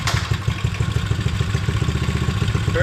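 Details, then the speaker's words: 70/72cc Coolster pit bike started after repairing a thrown chain that had damaged the flywheel case and stator: quick, even putter from the small single, steady beat with no misses or clatter; healthy idle. "Perfect. Oh, girl. Little little ripper. She's back. Let's go, boys."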